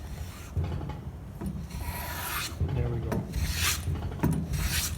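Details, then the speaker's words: Hand plane after blade depth and lateral adjustment, taking thin shavings: short, high, hissing strokes, smooth with no chatter or jumping; a clean, normal cut from a well-set blade. "Just thin little pieces. And you should hear it kind of making a nice sound, nice and high."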